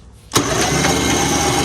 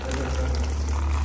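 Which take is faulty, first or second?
second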